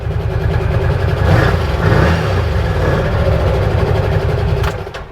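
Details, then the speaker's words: 2022 Odes Dominator 1000 LT UTV on a test drive after repair. It used to surge at wide open throttle around 45, and the reverse speed controller and speed limiter were checked. Now a steady, even engine note climbs smoothly with no surging: problem solved. "Everything sounds good, feels good, looks good."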